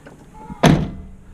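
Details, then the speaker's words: Chevy square body truck door after replacing the striker bolt bushings: closed with one finger from full open on a slight incline, a single soft, solid thunk latching cleanly, no rattle; quieter, healthy latch. "That was with one finger, all the way from full open, and it's slightly on an incline as well. The truck's leaning this way. One finger. Quieter."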